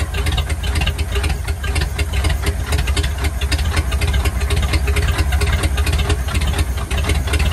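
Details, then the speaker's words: 1950 Ford flathead V8 truck, first start after about 40 years, gunk from freeing it still inside, throttle being worked: loud, choppy rumble with irregular pops and ticks. Runs rough ("ain't liking this two-stroke"); a little smoke, not bad. "She ain't liking this two-stroke."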